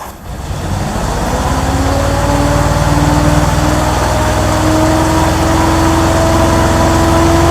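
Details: 1964 Ford Thunderbird V8 first start via remote starter, about 5.5 V at coil: settles into fast, lumpy idle with rising whistle; misfire suspected, possibly from vacuum leak at carburetor spacer gasket; oil pressure a little low.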